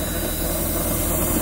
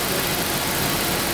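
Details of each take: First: 1992 Daimler Double Six Jaguar V12 running, listened near fuel pump: steady hum with constant buzzing vibration from fuel air-purge unit, though it may actually come from the pump; odd noise at certain rpm. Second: 1992 Daimler Double Six Jaguar V12, higher rpm, stethoscope on the water pump: a steady even whir with no grinding or knocking; the pump sounds healthy, and the odd gushing noise was traced to the oil filter.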